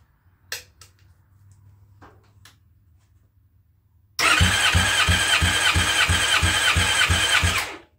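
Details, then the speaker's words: Fresh methanol motorcycle engine, warmed up, compression test with plugs out and fuel pump unplugged, cranked on one battery (usually two): steady cranking with even pulses about three per second; reads 240 every time, healthy. "i don't know if you can hear how fast it's cranking but that's only on one battery i usually run two 240 on the dot okay we're good"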